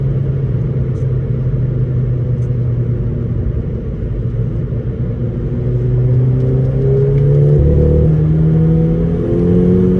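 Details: VW Golf 5 GTI petrol engine with a cylinder misfire: a lumpy, uneven rumble and a stumbling beat that persists as revs rise.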